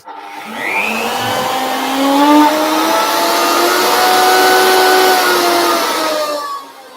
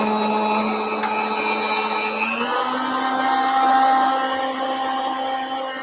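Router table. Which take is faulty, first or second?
first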